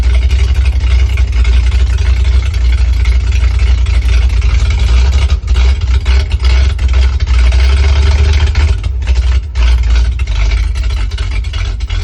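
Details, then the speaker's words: 1968 International Loadstar 392, first run after tapping the carburetor bowls (likely a stuck float), new Holley inline electric pump, choke used, not known if fully warm: deep rumble sagging and stumbling as if about to stall. Owner says idle needs adjusting. "Sounds like it's gonna die. Idle needs adjusted."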